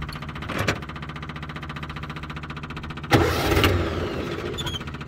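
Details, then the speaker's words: Austin 7 or Riley 9 pre-war car, warm, with 3 litres of fuel: steady chuffing crank, a brief surge, then dies without restarting; owner suspects the fuel level is too low. "Yeah, I think basically the fuel level's a little bit too low just at the moment, which is very good to know, because you'd think a few litres in there should be enough to keep the engine going"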